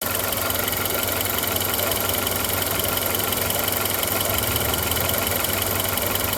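Steady idle with a light rapid ticking riding over it, roughly even, not changing through the clip; source of the tick undetermined.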